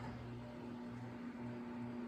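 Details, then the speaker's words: General Electric W25 box fan on low speed: steady low hum with faint slow wobble; mechanically healthy normal running, slight imbalance possibly from blades out of clock. "yeah, mechanically it's really healthy actually. You know, just a very slight imbalance, and I can see a little, the blades might be a little out of clock, so that might be the issue."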